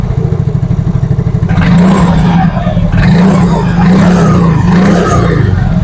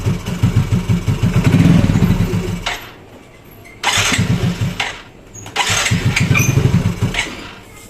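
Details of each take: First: Yamaha Mio Fino 125 fuel-injected scooter after adjusting the idle speed control (ISC) via its hose: small single putters steadily on its own without throttle, even low beat, no stumbling; normal idle. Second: Yamaha Mio Fino 125 fuel-injected scooter that won't hold idle, before repair: slow, uneven idle pulses that sag and nearly quit a couple of times before catching; idle too low and will stall.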